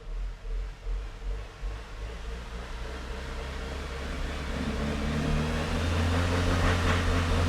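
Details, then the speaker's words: 2002 Renault Master 2.2 dCi, no engine light or codes, black smoke; starts and idles fine but under full throttle revs climb slowly and flatly, labour and won't pass 2,500 rpm. Loss of power suspected to be from a faulty EGR valve. "really struggles to revving it won't go past two and a half now that could be a safety thing"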